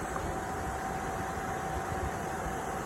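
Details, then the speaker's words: RV furnace that would not light, after vacuuming dirt-dauber debris from it: blower runs with a steady, even whoosh, a faint constant tone and no rattle or scrape, sail switch moving; the furnace then lit and blew hot air. "fan is uh turned on you can see the sail switch from the from the air being circulated by the fan"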